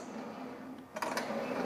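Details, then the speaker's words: JD Squared RC6 rotary cutter with round tube stabilizer: smooth quiet run turns into a loud scraping racket once the transfer balls are engaged and drag up and down on the tube, so they should be disengaged when not cutting. "you can hear it dragging up and down you hear that tremendous amount of noise that my friend is the problem"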